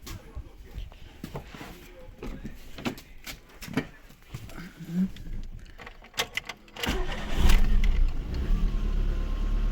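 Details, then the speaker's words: Lada Kalina, rebuilt engine, after valve clearance adjustment and replacing a faulty Brisk spark plug with a used NGK: engine catches quickly and idles evenly, stored misfire code still to clear. "все работает Єдине що потрібно буде помилку пропусків скинути тому що вона сохранилася вже працює"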